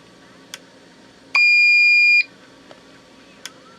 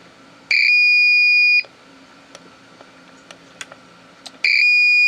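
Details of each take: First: Old APC Back-UPS 500 that had a bad battery, test button pressed after reconnecting and rechecking the battery: one clean, steady high-pitched beep lasting about a second, then quiet. Self-test sounds normal. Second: APC Back-UPS 500 powered on with no battery fitted: two long, high-pitched beeps of about a second each, roughly four seconds apart, warning that no battery is present.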